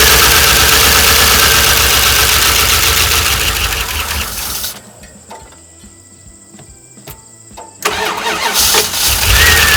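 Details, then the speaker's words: 1988 Dodge Ram W150 4x4 with TBI fuel injection, first start after long storage without a battery, primed with a gas and oil mix. Starter churns for several seconds, pauses, cranks again without catching; owner expects an ECU learn cycle over several starts. "all right it hasn't had a battery in it for a long time so the learn cycle on the ecu has to happen it's going to take a bit"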